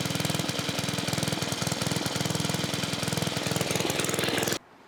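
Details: 1980s Onan 1.7 kW generator: steady, fast chugging at about three beats a second, then it cuts out. Normal running.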